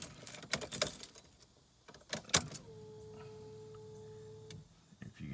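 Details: 1992 Honda Accord with built turbo H22, before first start, battery on charger, injectors unplugged: after key rattling, steady even electric hum for about two seconds, then cuts off; normal fuel pump priming.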